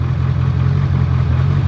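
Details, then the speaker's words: Wrecked Z06 Corvette at about 10 PSI with check engine light on: low, heavy idle with an uneven, lumpy pulse that wavers instead of holding steady; rough idle, cause not yet determined. "Hear how like rough it's idling."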